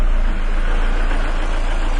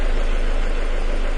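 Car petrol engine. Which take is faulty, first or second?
first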